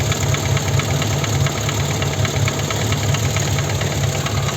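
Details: VAZ 21083, warm or cold alike, compression 10, 13, 13.5, 10 atm: light ringing tap steadily over busy idle, high sound from one spot; owner suspects piston pin, probably cylinder 1.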